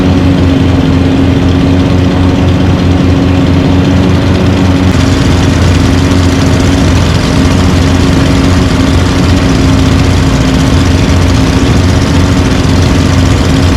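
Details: Lawn mower engines (stand-up, push and big mower) idling after winter storage, unused since December: a steady, low, even hum with no misses or knocks. A normal idle.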